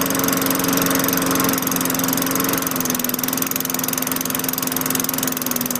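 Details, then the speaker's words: 2003 Craftsman 917.387360 mower, Tecumseh 4.5 HP engine 143.034502, second start after fitting a new LEV 100-115 carburetor to replace the troublesome original: even, steady drone that settles slightly lower and holds without surging, running healthy. "So I'm happy how that turned out. Kind of a crap show with the original one."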